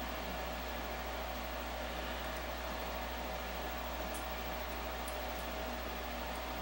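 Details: Multi-speed air purifier with failed logic board, just resoldered, powered on: constant smooth airflow hiss over low steady hum, no scraping or ticking; fan running evenly.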